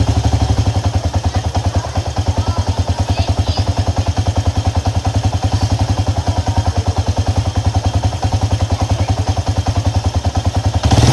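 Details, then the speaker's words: Honda EX5 Dream engine at rough idle: loud, harsh thumping about three and a half knocks a second; suspected loose flywheel (magnet) nut or loose cam sprocket timing bolts, not confirmed; engine knocking. "masalah engine ini bunyi kasar dan bunyinya itu memang cukup keras juga lah punya dia itu"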